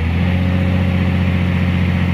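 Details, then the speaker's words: Caterpillar 345 excavator diesel under hydraulic load after ECM replacement (error 36-268-2, shorted intake boost sensor); steady deep drone at constant speed, no surging or hunting; rpm not dropping to 500–600, engine power and hydraulic pressure good. "but in this situation now the engine power is a good and also hydraulic pressure okay everything is done"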